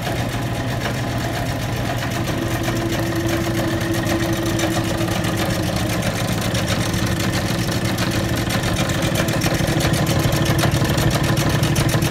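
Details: Old Bennett 541 gas pump motor, running after many years of barn storage: even low drone with a steady light pumping rhythm that holds constant throughout. The motor runs freely and normally.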